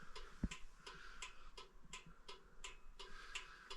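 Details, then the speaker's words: Old railroad signal lantern converted to 12 V with a solid-state turn signal flasher and 1156 bulb: crisp, even clicks about three per second; the flasher cycles normally, unlike the silent regular flasher used before. "uh you I think you can probably hear it clicking in there but uh the other the regular flasher it was silent"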